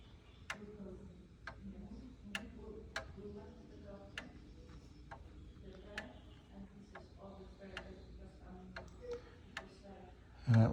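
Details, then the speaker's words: Roughly 500-year-old Dutch clock, mechanism just cleaned and oiled, set ticking: light, uneven ticks with some gaps longer than others, from a short broken tooth on the escape wheel. "was a slightly odd tick I may have a broken tooth on that wheel we shall see"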